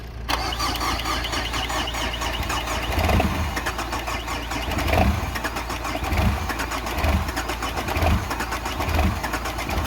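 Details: Peugeot diesel with an immobiliser and faulty fuel pump, run by hot-wiring: cranks briefly, catches and settles into a steady idle with occasional soft thumps, the engine running evenly.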